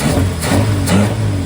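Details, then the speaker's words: 1947 Plymouth Special Deluxe convertible with twin carbs, after raising and evening idle speeds: deep, steady, even idle with no stumbles, about 20 inches vacuum on both carbs, sounding better. "I bumped the idle speeds up a little bit and evened them out and now we're just about 20 inches on both that's an improvement it already sounds better"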